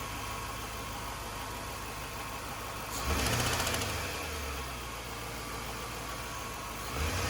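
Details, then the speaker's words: 2002 Chevrolet Suburban 5.3 LM7 V8 at idle: light quick ticking over the idle that speeds up with each brief rev, traced to the fourth valve from the front; once removed, no obvious fault found and pushrods not worn, so the cause remains unconfirmed. "it was very obvious that this valve the fourth one from the front was uh the one that was causing the um the bad noise"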